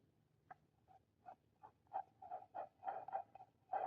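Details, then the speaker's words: Ford water pump, removed, spun by hand: croaky, rasping growl bursts from a worn bearing, shaft visibly flexing; pump replaced with new pump and gasket. "You can hear it just growling. [sighs] Yeah, it shouldn't be that noisy."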